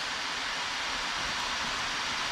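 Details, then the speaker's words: Acer Predator Helios 300 laptop after its fans were cleaned and greased with white lithium grease, fans at max in turbo mode: steady, even rush of air with no rattle, ticking or grinding; normal fan noise. "oh that's a normal sound of turbo [Applause] i don't hear the sound anymore thanks"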